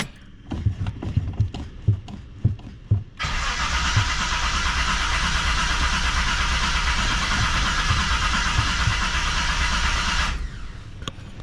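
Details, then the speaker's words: 1978 Reliant Scimitar SE6a, Essex V6 carburettor, automatic: uneven starter chugs then long whirring crank with no firing; cranks but won't start, owner suspects flooded engine, unconfirmed. "Maybe not. Well, I probably flooded the engine. I haven't been cranking it, so got to leave it sitting for a while."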